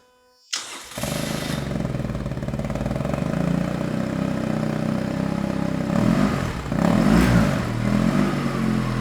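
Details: BMW R1200C after a new fuel pump, fresh battery, new fuel hoses and fresh stabilized gas, first start: brief crank, then catches and settles into an even, slightly lumpy twin idle with a couple of small blips; runs fine.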